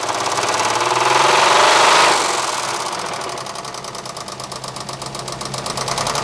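After a rev dies back to idle, a sharp regular knock about four times a second, typical of a lifter or rod knock. Cause suspected, not confirmed.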